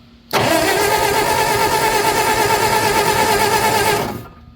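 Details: Old Bobcat skid steer, possibly a 610, unrun for about five or six years: engine catches and roars for about four seconds on a shot of starting fluid, then dies; has spark but apparently no fuel; cause unconfirmed.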